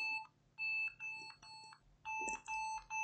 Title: Lenovo ThinkPad Yoga 11e Continuously Beeping With No Display--I Think We Can Fix This!!